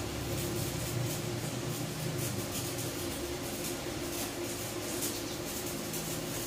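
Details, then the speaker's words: Primeweld CT520DP welder, about 25 minutes after it unexpectedly stopped turning on during arc welding: steady whooshing airflow with a low even hum and no arc. The blower is running after the shutdown. "fortunately the machine is no longer turning on okay so that's a surprise we're obviously up to trying to turn it on again maybe about 25 minutes the machine is I mean have these blower is turning on"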